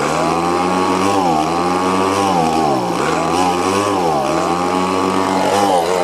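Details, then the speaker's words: Old Echo two-stroke blower just after a fresh carburetor install, choke on: a high-revving buzz that wavers and sags unevenly. It is stuck at a high idle that the low/high mix screws don't change; the owner suspects the little plunger adjustment. "Well, I have to say, it's running much better. At least it's running. It still seemed kind of rough."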